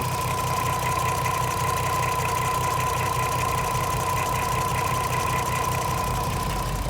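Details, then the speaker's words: VW Golf R32 (57 reg, 3.2 V6, 92k miles) at idle after a one-hour carbon clean through the air intake: steady, even hum with no misses or surges, now quieter and smoother than before; normal idle. "on camera it sounds a little bit different I don't know if you guys can tell but it is sounding quieter lot smoother a lot more chilled out"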